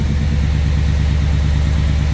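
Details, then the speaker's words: 1967 Pontiac Tempest with freshly rebuilt 6-litre engine, first start, revs held slightly up: steady, even, deep idle with no knocks or misses; oil pressure 45, air-fuel ratio 14.7; normal idle, slight valvetrain noise noted. "sounds pretty good oil pressure is 45. that's good air fuel ratio is 14.7"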